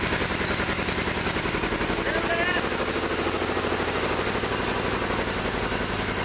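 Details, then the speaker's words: Riding mower with electric throttle, previously running rich as if choked with a fouled plug. With the plugged air filter removed, the single cylinder fires evenly and quickly, running fine. "took the air filter off and it ran fine."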